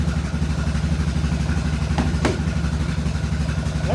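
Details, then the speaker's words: Yamaha Grizzly 660 ATV after an oil change, carburetor previously gunked with bad fuel: a steady, even low thump at about four beats a second with no stumbles or surging; idles smoothly. "a smooth runner on machine right there you know when that carburetor had all that bad Gunk depth fuel in it this thing would be Turpin and a Spartan and a Stenton"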